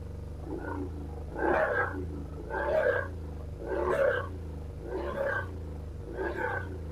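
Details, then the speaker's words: BMW R1150RT boxer twin, first run after clutch and starter motor strip-down rebuild, tank not yet fully refitted: low thrum with throttle blips about every second, picking up cleanly and settling back; sounded all right. "So a better result than I was thinking. What I'm going to do now is just put the tank back on properly, and I'm going to just make sure that the lines aren't interfering with the throttle, and it sounded all right."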